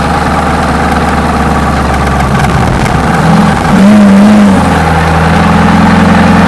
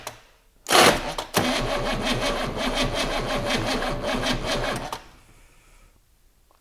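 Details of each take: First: GMC 6.2 V8 diesel, unstarted for 15–20 years, running after a 24 V jump: idles steadily, blips up briefly and settles to a smooth, even idle with no knocking; sounds healthy though likely needing an oil change. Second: GMC 6.2 V8 diesel, unstarted for 15–20 years: slow, labored cranking pulses drag on about four seconds and never catch; cranking too slow to start, battery suspected.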